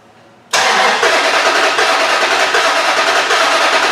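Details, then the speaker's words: 2004 Dodge Ram 5.7L Hemi, towed in running rough and needing throttle to idle; cranking with a compression transducer in cylinder five, the third back on the driver side; lopsided cranking beat with zero compression on that cylinder. "alright well that is that's a big fat zero we have no compression on that cylinder whatsoever that's interesting so there's absolutely no compression"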